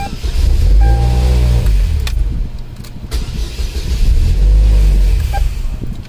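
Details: 2003 Cavalier 2.2L Ecotec supercharged 5-speed, with a current probe on the starter. Two even, steady cranking bursts with no dropouts: normal starter cranking.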